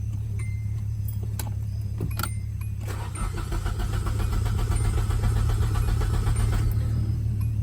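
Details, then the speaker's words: 1992 Nissan 240SX (S13) yard find, first start in over a decade, distributor cap and rotor cleaned, clutch in. The starter spins the engine in a steady, even chug for several seconds but it never fires: cranks, no start. "I'm gonna crank it up again see what happens here oh man clutch in a while I'm here and stuff"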